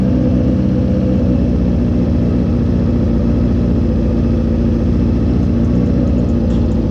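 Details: Motorcycle riding at low revs: steady low burble with a choppy, puffing pulse, indicating an exhaust leak.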